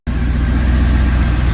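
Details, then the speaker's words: Turbocharged EFI 460 Ford after new valve covers, AN-line PCV and catch can fitted to fix crankcase pressure and an oil leak, Ellis coils back on: deep, even lumpy rumble settling into steady idle, no hiss or ticking; no leaks, sounds good. "Alright guys, no leaks. Sounding good."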